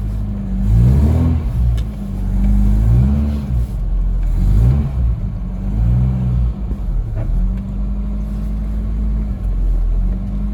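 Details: Ford Capri 2.0 after inlet manifold refit and hard starting: engine revved and dropped back, idle lumpy and uneven; still running a little rough, owner suspects ignition side.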